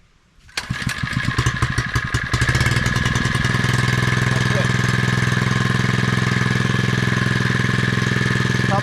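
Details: Repaired Predator 79cc water pump engine started on choke with a little throttle: firing knocks settle within about two seconds into a steady, even mid-pitched run with no misses. A normal cold start.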